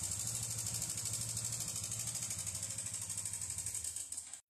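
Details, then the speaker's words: Honda Biz 125 with a loud engine noise, fairings removed for testing: fast, even ticking clatter at idle, about three per second, over the engine beat until shutoff; cause found to be only the cam chain tensioner, not the bottom end. "A gente já desmanchou aqui as carenagens dela para fazer os testes e foi verificado que o problema era só o acionador da corrente de comando."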